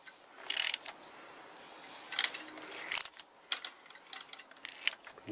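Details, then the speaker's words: Honda CBR1000F landfill bike engine turned over by hand: short, irregular metallic rattling and clicking inside; engine not locked, owner suspects chain noise, possibly the alternator chain (crank drives cam, oil pump and alternator chains). "The engine's turning. Can hear some weird noise in there though."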